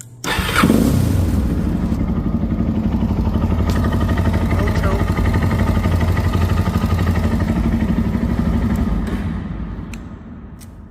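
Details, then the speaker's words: Suzuki DRZ400 that was hard to start, after swapping tight cam valve shims: on choke it catches first time and settles into a steady, even single-cylinder idle. Normal start. "choke first time starts"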